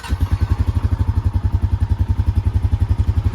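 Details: 2022 Honda Foreman 520 foot-shift ATV just started, before shifting into drive: steady single-cylinder thump, about three and a half beats a second, even and unhurried. Normal idle.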